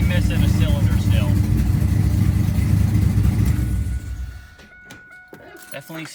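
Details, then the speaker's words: V8 just reassembled with new head gaskets, run on old beat-up plug wires: lumpy, uneven idle with a stumbling low beat, exhaust puffing and a manifold leak before shutdown; one cylinder not firing, owner suspects a bad plug wire. "not firing on one of the cylinders"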